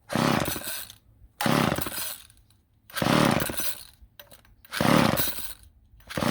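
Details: Old Ohlsson & Rice chainsaw, sat 20+ years, first start attempt with a little oil added: four rope pulls, each a brief whirr about every 1.5 seconds, never catching; cranks but won't fire. Rope then breaks.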